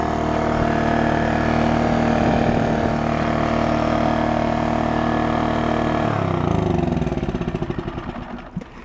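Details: Scrapyard Honda EX650 generator after its rubber feet were rearranged and replaced so it sits even and doesn't rock: smooth, steady hum with an even beat, no rattle or rocking, then it spins down evenly. Running properly.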